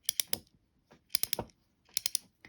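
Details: J.C. Higgins Monospool fishing reel reassembled after cleaning and lubrication: crisp quick ticks in short bursts of three as the handle turns, pawl clicking cleanly; normal anti-reverse clicking.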